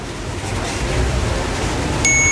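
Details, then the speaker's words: New red thermal fuse for a Philips rice cooker tested with continuity buzzer: steady high beep switches on sharply and holds, showing the connection is not broken and the fuse is intact, unlike the old blue ones that gave no beep. "Nah, buzzernya bunyi. Ini menandakan bahwa ini sambungannya tidak putus."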